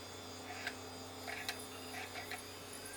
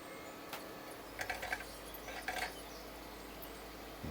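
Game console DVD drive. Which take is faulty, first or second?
first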